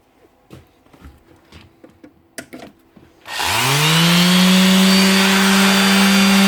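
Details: Makita BO5031 5-inch random orbit sander, previously not switching on because of worn-out brushes. After the brushes are replaced, quiet handling clicks, then the motor spins up quickly to a steady, even high whine with no stutter or grinding.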